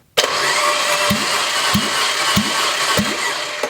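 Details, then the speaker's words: Junkyard Fiat 500 MultiAir engine cranking freely with faint, uneven compression pulses about four per second; this cylinder read about 40–45 psi, and the cause of the low compression is unknown. "It's like 40, 45 PSI on that one."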